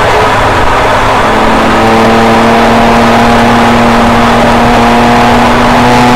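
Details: 2007 BMW E90 335i with N54 engine on track at Big Willow, lap 11, with a custom Sutphin transmission tune meant to fix shift flare and misfire. Hard full-throttle pull, then quick clean upshifts with no flare: normal.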